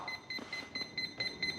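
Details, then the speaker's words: FMS P-51 Dago Red 1.1m RC plane on 4S battery, after binding with throttle hold/cut on: the ESC keeps giving short high-pitched beeps about every third of a second; cause unknown. "Okay so we're definitely not in bind mode anymore but you hear it beeping throttle hold is"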